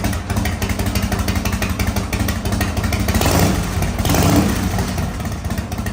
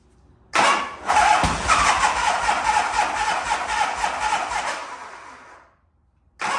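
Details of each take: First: 1985 Harley-Davidson FXRS Evo, sat five years, now on regular fuel: V-twin loping at idle with a steady potato beat, picks up cleanly on a short throttle blip and settles back; running normally. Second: 1985 Harley-Davidson FXRS Evo V-twin, sat five years: starter churns engine over at an even rhythm about five seconds without catching; crank no start, fuel not getting through the carburettor, later found in poor shape.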